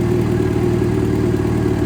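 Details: Yamaha Fazer FZ6 after completed throttle body synchronization. Smooth, even idle with a steady hum and no hunting or misfires; the four runs balanced and healthy. Normal idle.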